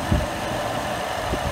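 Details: 2011 BMW 535i after water pump and thermostat replacement (code P0128), running about five minutes to purge air from the cooling system: steady, even idle with smooth low hum, no knocks, ticks or hunting; sounds healthy.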